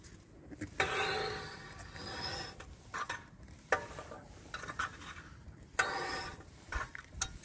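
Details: 2022 Honda Ridgeline with 5,000 miles, rear driver's wheel turned with rear jacked up: irregular rasping scrapes and clicks, suspected wheel bearing but turned out to be a chunk of metal in the parking brake drum.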